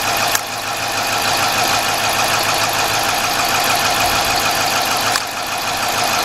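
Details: Chrysler/Dodge/Jeep engine with P0305 cylinder 5 misfire: uneven, lumpy petrol idle with loose ticking beat; unplugging the cylinder's connector made no difference, confirming that cylinder dead.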